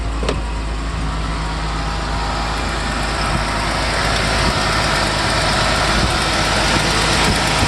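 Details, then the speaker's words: 1990 Mercedes 300SE W126 with an M103 inline-six at cold start, fast higher-rpm idle, with a hissy, puffing exhaust leak; the rear exhaust section was replaced but not the center section. "This is pretty much like a cold start. We got our exhaust leak."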